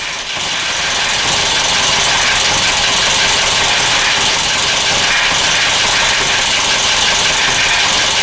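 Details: Newly purchased 1996 Metro idling with an uneven, unsteady beat and a slight rattle instead of a smooth hum; rough idle, cause unknown.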